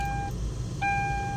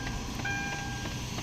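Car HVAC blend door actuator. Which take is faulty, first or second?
second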